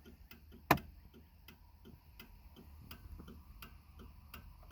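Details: 1995 Cadillac Fleetwood: crisp paired tick-tock flasher clicks at an even, unhurried pace in a quiet cabin, the turn signal cycling at its normal rate.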